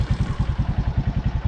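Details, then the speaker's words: Suzuki Raider J Fi idling in neutral after valve clearance adjustment: steady, even idle with soft regular pulses and no ticking; tappet noise gone, normal idle. "tara yun nawala yung lagitik niya mga kaibigan neutral na-lessen yyung lagitik"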